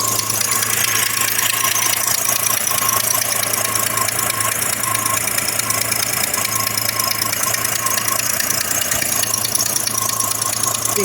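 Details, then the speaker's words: 1982 AMC Concord at idle after a new ignition system and a welded exhaust hole: fast sharp puffing tick, about two per second, over a hissy exhaust. It goes away when revved; the owner suspects a cracked manifold or a gasket leak below the weld. "think as soon as you rev it it goes away it's possible the manifold is cracked you know they do crack"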